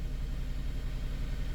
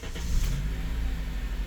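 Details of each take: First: 2006 Honda Element K24 with P0301 code, idling. Low, lumpy idle with a regular stumble; scanner counts 400+ real-time misfires on cylinder one, a dead miss later confirmed by an injector swap as a faulty fuel injector. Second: 2006 Honda Element K24 after a genuine Honda injector replaced the faulty cylinder 1 injector (P0301): it starts quickly and idles smooth and even, with zero misfires on live data.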